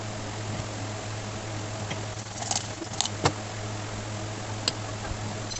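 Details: Ceiling fan after replacing both bearings (upper bearing fully failed, lower slightly jammed): steady low, even hum with no grinding or rattle, a few light taps in the room; normal running.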